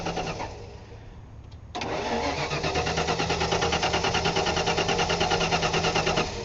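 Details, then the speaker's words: 1994 Ford F-150 V8, warm restart after new spark plugs only (old wires, cap, rotor), intermittent no-restart when hot: steady cranking about three pulses a second, spark and fuel present but never fires; cranks, no start, cause unconfirmed. "it's sparking I'm getting spark but it's just not it's not firing"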